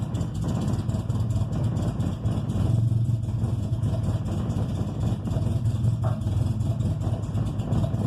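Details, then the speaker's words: 1995 Honda Civic EG coupe just after cold start: low, uneven idle hunting and stumbling, revs up normal then drops and runs rough; fine once warm, daily issue, cause unknown. Rough cold idle. "Well, then once it's warm, it doesn't do this at all. See, it revs up there and runs normal, and then it goes back down and runs like shit."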